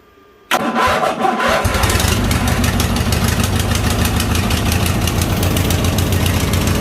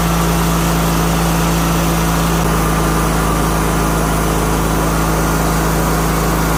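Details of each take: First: 2000 Craftsman LT1000, Briggs & Stratton 21HP L-head twin, first start on booster box after new fuel line: quick crank catches, settles into steady, slightly uneven idle; it runs but fuel leaks from fuel pump diaphragm; carb and pump to be rebuilt. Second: 2000 Craftsman LT1000, Briggs & Stratton 21HP L-head twin, after carburetor clean/rebuild and fuel pump rebuild stopped the fuel leak: steady low, even thrum, constant droning note, no misses or surging; normal smooth idle.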